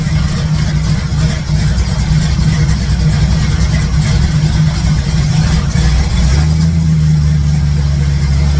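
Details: 1967 C10 truck V8 with ball-seat headers, after exhaust leak work and refitting plug wires; idles with even beat and pulls up cleanly on a blip, all eight cylinders, no header ticking: normal idle and rev.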